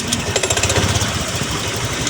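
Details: Honda Click 125 scooter pulling away: harsh rapid shuddering rattle settling after a second, strong vibration; CVT judder traced to worn flyballs in the variator.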